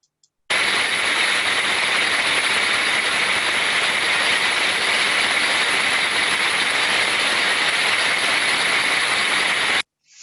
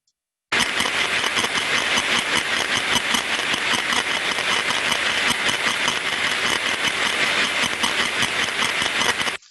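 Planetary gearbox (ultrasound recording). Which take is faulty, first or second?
second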